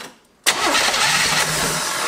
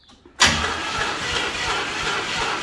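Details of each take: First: 1973 Chevy Nova after a barn fire: new starter, cranking briskly and steadily with no drag or clicking. Cranked before any fuel was supplied; the owner says it wants to start. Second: Burnt 1973 Chevy Nova, abandoned 30 years and recently caught in a barn fire, first start: catches and runs ragged about five seconds, missing on several cylinders, smoking; owners suspect plugs fouled by trans fluid left in the cylinders.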